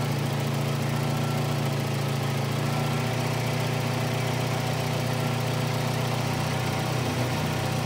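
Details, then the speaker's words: 1985 Volvo 240 (LH2.2, B230F family) after replacing a faulty idle air control valve: smooth, steady low hum with even beat and no stumbles, sounding much better than before; normal idle. "let's see how our Idol is now we've finally changed over our valve that sounds a lot better I think"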